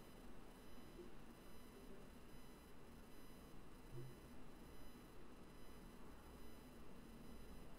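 Only a soft, even hiss with a faint low murmur remains, no buzz or pulsing; the band is quiet and clean.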